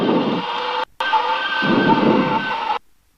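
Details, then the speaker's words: Cessna 172 stall warning horn, a steady reedy tone over cockpit noise, sounding in the landing flare just before touchdown at about 70 mph approach, with wind burbling near the runway end; normal and intended. "That noise is the stall warning horn that says, hey, you're about to quit flying. As long as it happens when you're that close to the ground, that's your goal."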